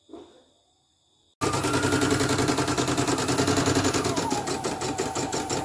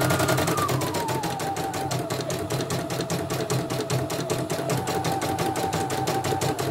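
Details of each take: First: CNY E900 embroidery machine with heavy rotation and hissing, dynamo below, after cleaning: fast, uneven, snatchy clatter near 3.5 beats a second; new dynamo is stiff but steady, technician suspects thread caught in the rotary hook causing jerky binding. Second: CNY E900 embroidery machine, jump setting 2.5, after dynamo (motor) replacement and sensor test: quick, even stitching clatter about 2.5 beats a second with steady motor hum, no skips; running smoothly.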